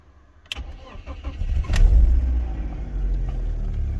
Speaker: car starts perfect we have of course airbag light and ABS light because of these wheels so that's normal but other than that we have no check engine lighting